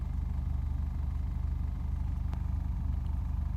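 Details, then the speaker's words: 1994 Hyundai Lantra at idle, on both gasoline and LPG: low rumble pulsing unevenly about 3.5 times a second, idle hunting up and down; pulls fine under throttle, cause unknown. "rde böyle bir sayma oluyor ileri geri düşme oluyor gaz verelim çekişinde gidişinde bir sorun yok ama böyle bir dengesizlik yapıyor"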